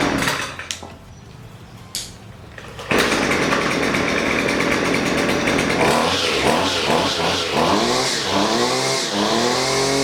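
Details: Husqvarna 128LD string trimmer that bogs and won't throttle up, during carburetor adjustment; after handling noise it fires and revs surge and sag unevenly; bogging on throttle.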